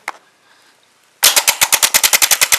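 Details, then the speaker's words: Starter removed from the owner's truck after it failed to start at a grocery store, bench-tested by jumping the terminals: rapid sharp clicking about ten per second, no motor whir. Solenoid engages but the starter won't spin; internal fault suspected. "it still kicks in but it just doesn't you know do the spinning part"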